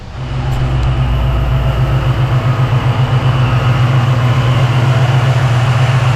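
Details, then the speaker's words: 1987 Saleen Mustang 347 V8 after fitting a new balancer, water pump possibly leaking: deep, even idle rumble with regular firing pulses, no shake or knock. Temperature, oil pressure and vacuum good; runs smooth and balanced. "Temperature's good. Oil pressure is good. Vacuum's good."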